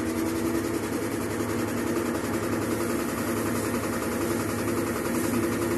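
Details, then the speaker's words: Mabe washer-dryer tower in its spin cycle; constant loud rumble with a rough rattling hum from dry, worn transmission bearings and a totally loose basket. Suspension damping problems are suspected, and the machine also leaks water. "lo más probable es que esta lavadora tenga problemas de amortiguación vamos a revisar y también revisar porque es la fuga de agua bueno aquí revisamos vamos a revisar la canasta está totalmente suelta"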